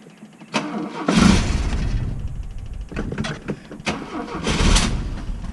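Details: Freshly rebuilt Opel GT 1.9L engine with carburetor and points distributor, timing verified, compression about 140, fuel primed with a couple squirts: starter cranks in bursts and it catches briefly with a bump or two but won't run on its own, a hard start.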